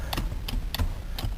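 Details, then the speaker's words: 1997 Acura 3.0CL power driver's seat: held back, it clicks once and moves back only in small increments, sometimes works; sharp uneven clicks about three a second without steady motor run. Owner suspects something on the track or a seized motor drawing too much current. "when you hold it back it's not going back all the way it clicks once and the seat moves back in small increments"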